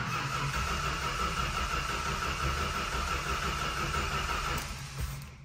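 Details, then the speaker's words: Chrysler 440 RB V8, cold engine, cold weather, choke not set, not started in a while: steady fast whirring crank with high gear whine then the typical wind-down of a healthy Chrysler gear reduction starter. "I'm purposely doing that so it's going to crank a little bit and you can hear the sound of the starter so here you go you ready"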